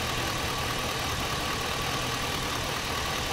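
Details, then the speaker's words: 2000-2006 Chevy/GMC truck V8 with P0200 and P0303 codes, after repairing one injector harness side: uneven, lumpy idle stumble, intermittent misfire from a broken injector wire at the connector's blue locking tab. "still seems rough I wonder if it's that other wire now that I told you it felt funny there it is it's not there all the time"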